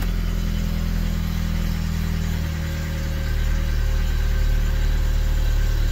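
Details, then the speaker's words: Isuzu Hombre pickup sitting 5+ years, 169 on odometer, cold start after fuel pump priming, fired immediately; smooth even low rumble, no knocks or whine, normal idle. "I shouldn't have primed the fuel pump. Didn't even crank."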